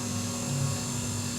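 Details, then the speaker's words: UV flatbed printer pad holder/shaker motor turning at lowest recommended speed, tested before shipping: even, steady low hum, constant tone, no knocks or scraping; machine in good normal condition. "Nantinya ketika mesin dalam keadaan hidup dan melakukan pengeprinan, dia akan berputar secara otomatis."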